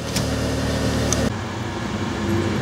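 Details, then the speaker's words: 2002 Chevy Cavalier after a crank-no-start with no PCM communication, traced to a fuse: engine now starts and idles cleanly with a smooth, even low hum and no misses or knocks. "I'm going to try to start it and you see we are running and so our problem is an issue with the fuse"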